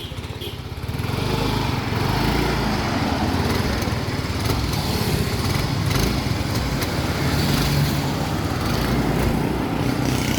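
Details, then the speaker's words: Yamaha Mio i125 scooter after cleaning throttle body, intake manifold and air filter: settles into a steady even idle with no shaking or misfire; previously misfiring and hard to start, now fixed. "guys Okay na yan guys Okay na yan guys bis lang namin ng throttle body yan guys ha saka guys ha Ginawa namin p par nanginginig guys"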